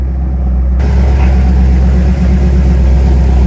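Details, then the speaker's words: Rat rod wrecker after transmission work: deep, even rumble pulling steadily without misses, knocks or slipping, driving under its own power again. Normal engine running. "that's a beautiful sight right there driving under its own power again"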